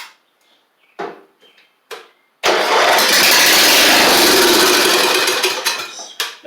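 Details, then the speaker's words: Briggs & Stratton flathead just fitted to a Troy-Bilt Pony mower in place of its Powermore, no muffler yet, on a 3.5-year-old battery: a few cranks, fires and runs loud and raw, then winds down; starts and runs fine. "mean it sounds like it's got compression so that's good that's why I put it on here"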